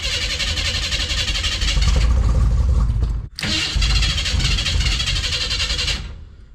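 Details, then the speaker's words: 1988 Chevy S10 Blazer, abandoned, which briefly ran and drove and then died: the starter cranks rhythmically without catching. The owner believes the fuel pump is gone because no fuel squirts into the carburetor bowl. Cranks but no start. "here but basically I believe the fuel pump is gone because it ain't squirting no more"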